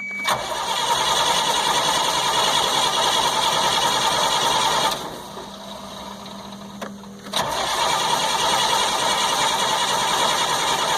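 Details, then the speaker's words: 1998 GMC C8500 with a Cat 3116E diesel, after an air-sucking transfer pump was fixed, cranks evenly but never catches. The injectors get no output though the tach shows the ECM sees cranking; a bad ECM is suspected. "Go ahead. Nothing. So it's my belief at this time that we have a bad ECM, because we have no output, and as I said before, you can see the ECM knows we're cranking, because you can watch the tach."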